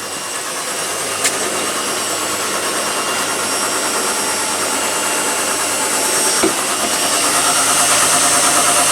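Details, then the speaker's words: Replacement Bosch tumble dryer, lint screen removed: a steady airy rush with a soft regular beat about three times a second, no scraping or knocking. It is heating and running normally. "That sounds good. Ooh, it's heating alright. So that Bosch is heating, that's fine."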